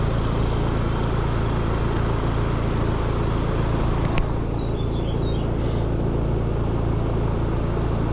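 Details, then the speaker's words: Trane/American Standard condenser on a neighbor's AC, compressor restarted after recharging refrigerant: steady low hum with loose, uneven pulse underneath; tech thinks liquid is flooding back from a full accumulator, possibly contactor chattering; restarted repeatedly to clear liquid. "I think we are flooding to the compressor and that's what the problem is. That accumulator is full of liquid."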